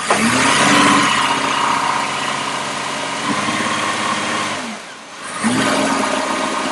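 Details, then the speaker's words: 2004 Chevy Impala with a 3.4 V6 and a flashing check engine light, worse mileage and bogging uphill, brake-torqued in the shop; the engine drones unevenly with a faint stumble, a confirmed misfire under load, and it smells rich. "and if you listen close you can hear it [Applause] missing so we're in our road test we confirm that it's running bad kind of hard to tell on the video but it's clearly got a missfire"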